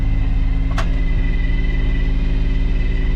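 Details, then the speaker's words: 1999 Nissan Frontier during restoration, throttle body with no air filter fitted: steady rough idle with deep pulsing rumble and loud open intake roar; loud intake noise from missing air filter. "uh where's the a oh it's just a throttle body cuz there's no filter on it"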